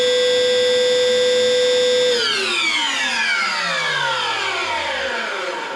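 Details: Chip extractor (spånsug) a few years old, after repair of a scraping/cutting noise with a suspected motor bearing fault: motor holds a clean, steady whine with no scraping, then the pitch slides smoothly down as it coasts to a stop after switch-off; normal running.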